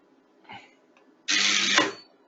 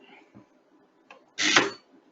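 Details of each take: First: Low-voltage MCCB with thermal and magnetic trip elements, primary current injection test at about 1000 A, still in the thermal/proportional part of the curve, not a magnetic trip. Loud buzz under a second ended by a sharp clack; breaker trips cleanly. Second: Molded-case circuit breaker under primary current injection test at about 1.3 kA trips with a harsh rattling buzz lasting nearly half a second instead of the single immediate clack of a clean magnetic trip.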